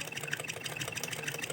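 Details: Sewing machine that pulls fabric crooked and feels jammed, being run by hand: fast, even ticking with a dull, dragging tone; stiff running.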